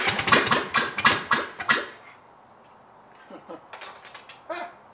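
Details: Engine for a 1959 VW ragtop (mystery VW motor, not the 36 hp) is cranked by a push-button starter after reset open points and timing. A quick rhythmic starter chug, about four beats a second, with weaker bursts, never catching; hard starting with repeated cranking.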